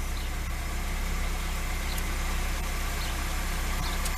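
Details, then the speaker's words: Lada 2102 petrol engine, first start after sitting over a year, plugs cleaned, distributor cap checked, easy start used: settled, regular idle with even low thrum and no misses, knocks or ticks; runs healthy. "let run for about rather up yes she's running I mean how much more can you say"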